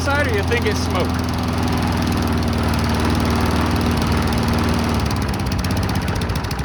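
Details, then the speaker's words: Cheap abandoned Briggs & Stratton walk-behind mower, started in the cold with the trigger taped down: single-cylinder drone that wavers and stumbles; black stuff drips from the muffler, owner suspects junk in the carburetor; rough running. "hmm dripping a little black stuff out of the muffler probably has junk in the carb"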